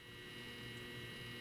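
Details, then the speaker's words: Tripp-Lite LC1800 line conditioner fed by a DeWalt DCB1800 power station (modified sine wave), powering a TV and air conditioner, mic close-up: quiet steady low transformer hum with faint buzz, no rattle or pitch change; normal hum under load. "This is a close-up, y'all. You can hear it humming. That's the transformer"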